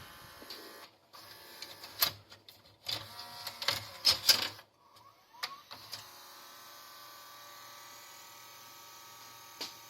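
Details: Early-2000s JVC HR-DVS2 S-VHS/miniDV combo deck, heavily used and previously opened: stuttering plastic clicks and brief whirs in bursts as it strains to thread the tape, then silence. The tape doesn't turn and the sensor stops it; tired loading gear.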